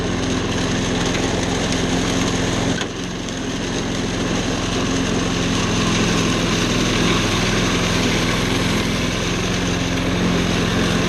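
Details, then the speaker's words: Discarded walk-behind lawnmower small single-cylinder engine after carburetor cleaning, fuel, spark and compression confirmed: steady fast buzzing after a brief dip, even and smooth; running normally and self-propelling. "we have fuel spark and compression well timing too it'll run okay let's see how it does"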